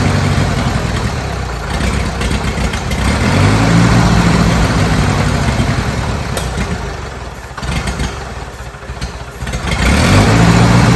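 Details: Old Bobcat 610 skid steer, Wisconsin petrol engine with old carburetor just opened: chugs unevenly, speed sagging and surging; rough running, owner thinks it picked up water in the carburetor and plans fresh gas from a makeshift tank.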